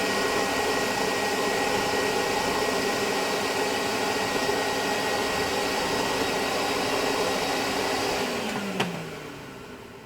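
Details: Vintage Hoover Constellation model 862 vacuum with old wiring, switch suspected faulty; steady airy roar with even thin whistle, then smooth wind-down, 83.1 on sound level meter; normal running.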